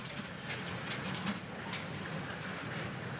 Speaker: That clicking came from electromechanical switches called relays. A relay is just an electromagnetic switch.